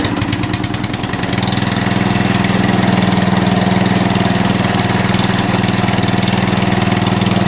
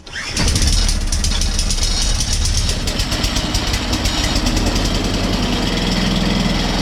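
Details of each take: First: Atco Balmoral cylinder mower after the drive pulley was adjusted in: a few sharp ticks at start-up, then a steady, even engine beat with no chatter. The drive still works; owner thinks the belt may be the wrong one but it works. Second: Atco Balmoral reel mower engine started and running steady with a fast dry chattering over it; chattering that needs sorting out.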